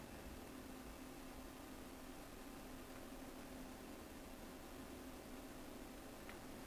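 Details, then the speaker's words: Dometic CFX compressor cooler powered from Goal Zero Yeti on 12 V, compressor switching on after setpoint lowered to 5 °C, microphone about half a metre away, drawing about 56 dropping to 50 W: soft even hiss with faint low hum, running quietly and normally. "So, der Kompressor schaltet sich jetzt ein. Ihr hört ihn jetzt wahrscheinlich auch, weil wir so nah dran sind, ist ein halber Meter Abstand etwa."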